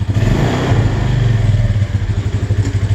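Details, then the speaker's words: Suzuki Spin scooter starts, but on throttle it chugs loudly and unevenly, misfiring ("brebet") and then dying; the mechanic suspects the ground (mass) cables, a common Spin fault. "brebet brebet brebet brebet gitu. Nah mati. Nah seperti ini ya."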